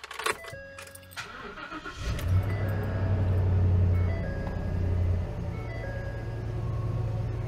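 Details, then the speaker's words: 2015 Ford F-250 Super Duty 6.2L V8 after new MSD ignition coils fixed a cylinder 8 misfire (P0308, corroded coil terminals): engine catches after a couple of cranks and settles into a smooth, even low rumble; sounds better, codes not yet cleared. "Sounds better. Still got our codes."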